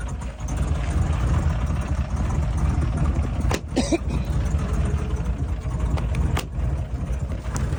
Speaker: well that does not sound healthy at all like it doesn't quite sound like Rod knck I don't think it's that I know I've got way too much fuel in it cuz it's just blowing smoke like crazy